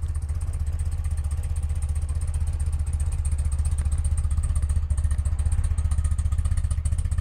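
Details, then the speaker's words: 1982 BMW R100RT twin, cold start on choke: steady, even low thump with regular firing pulses, no knocks or misses; normal cold idle. "it's been idling a couple minutes uh the chokes all the way off we can see this would be turning it on and you can see it's bottomed out right there throttle response is great it idles super smooth"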